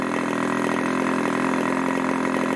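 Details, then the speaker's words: 1980s Irvine 40 MkII ABC glow engine with 10x6 prop and 7% nitro fuel, after tuning the low-speed needle from an initially rich setting: a steady, smooth, burbling idle held just over 2,500 rpm with no surging. It tops out at about 12,300 rpm. "seems to hold a really nice article just over two and a half thousand rpm we're getting a maximum that 1,300 which is really nice"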